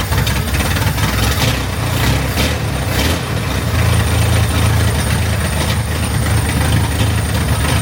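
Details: Chevrolet Corvair flat-six after replacing the ignition system and carburetors in a tune-up, first start to check for fuel leaks: settles into a steady, even low idle with a smooth rumble and no stumbles. Normal idle.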